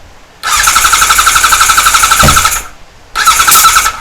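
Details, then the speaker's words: 1978 Kawasaki Z1-R, freshly rebuilt engine, first start attempt with fuel on and enricher: two bursts of fast cranking at about four beats a second with faint squeal, never catches; owner wonders if he wired it backwards. "oh i wonder if i got that backwards it's white to white"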